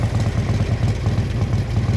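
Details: 1957 Harley-Davidson FLH Panhead tank shift with sidecar, factory race-ported heads and race cam, low original miles, original paint: deep, loping potato-potato beat at slow idle, steady and even with no knocks; healthy motor.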